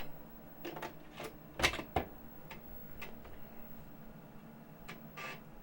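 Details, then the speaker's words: 35+-year-old Amiga 1000 floppy drive after cleaning the head with alcohol and oiling its moving parts: irregular head-step clicks and short seek buzzes. It boots Kickstart and Workbench fully; the drive sounds healthy. "All right, so I'm able to boot completely into Workbench. The drives sound fantastic."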